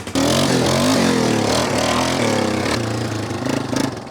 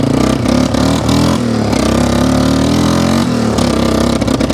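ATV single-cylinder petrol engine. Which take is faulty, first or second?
second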